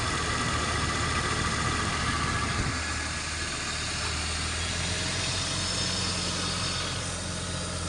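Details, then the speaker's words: BMW E39, engine B28 six, idling after valve cover gasket replacement for an oil leak onto the header: steady, even idle with no vibration or stumbles, just a faint whir from the belt tensioner bearing. It is smooth and healthy. "halus untuk mesinnya enggak ada getar enggak ada apa memang berisik dari ini ya E laker tensionernya dia ya"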